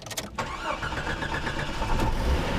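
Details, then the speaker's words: 1989 Jeep Cherokee automatic with new plugs, wires, distributor cap and battery, shop-serviced; owner says idle sometimes dips and it stalls on acceleration or deceleration, maybe flooding; brief cranking whir, catches at once, settles into steady even idle; healthy prompt start. "right up. Let's go through to the engine. You can hear that it's idling pretty good."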